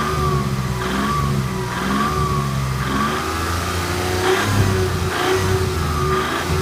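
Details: 1991 Toyota Camry revving in repeated pulls with a dull knock under load. Stethoscope finds more noise at the bottom end than at the top of cylinder 2, so rod knock or bearing noise is suspected. The oil pan comes off next to diagnose.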